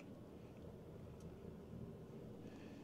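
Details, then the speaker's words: 2017 Ford F250 6.7 Powerstroke diesel, 92,244 miles, codes P0305 and P1265, shaking at idle: low, uneven, lumpy rocking idle, as if cammed; misfire on cylinder 5 from a faulty injector, fixed by replacing and programming it. "Man, this thing's bouncing. It feels like it's cammed. That's what it feels like. Just rocking back and forth just sitting here at idle."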